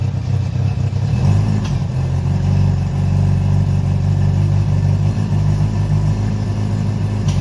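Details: Honda CB700SC Nighthawk inline-four after carb cleaning, non-ethanol fuel, 4-into-1 exhaust, no airbox; even steady idle with deep smooth drone and light clatter on top, no stumbling; normal running.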